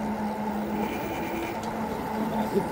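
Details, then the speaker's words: Eahora Romeo 2 e-bike, front hub motor: under throttle a steady droning tone with a higher whine on top from the front motor, occasional metal-on-metal when braking; cause not yet pinned down. "when I hit the gas to throttle that noise the brakes there it is again"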